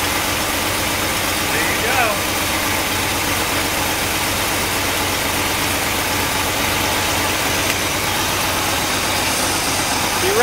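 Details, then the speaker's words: 1964 Cadillac V8 after replacing worn points: steady even idle under a lot of hiss, no surging, misfire or stumble; running well, maybe an exhaust leak or two. "i don't know actually sounds really good maybe an exhaust leak or two"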